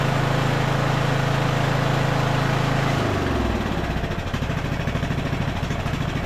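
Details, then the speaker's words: Craftsman LT1000 riding mower being revived, carburetor rebuilt with mixture screw fully out: runs fast and steady then drops into slow, uneven, hunting chug; mixture screw misadjusted, fixed by opening about half a turn for more fuel. "right. I just had to add a little more fuel. I think we went out like, what, a half turn or so? These weren't adjusted right."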